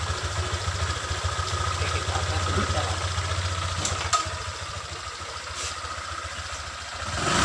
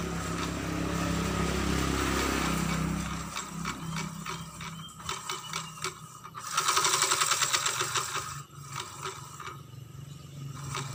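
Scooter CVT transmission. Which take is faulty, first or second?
second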